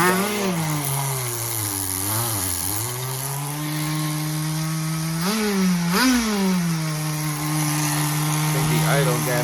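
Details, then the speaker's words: Tamiya TGS-R nitro RC car with rebuilt engine, first startup, likely still warm from the engine heater, needle set 2.5 turns out, 15% oil fuel: revs up and falls back, then settles to a fairly high steady buzzing idle; high idle. "definitely not questioning the uh performance of it just the idol single stage idling already first startup"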